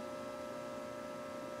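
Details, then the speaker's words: Earthshaker pinball machine powered up for the first time after its power supply board was rebuilt: a quiet, constant low hum from the speakers, possibly a ground loop, not a coil; cause unconfirmed. "like a ground loop but I don't hear any coils on I thought that might have been a coil but it's coming through the speakers"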